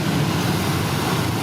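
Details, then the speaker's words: 1999 Toyota Corolla heater/AC blower after replacement with an aftermarket motor, engine running, fan on high. Steady, even airflow with no squeal, rattle or ticking. Normal blower operation, no more noise. "Yep. Perfect. No more sounds."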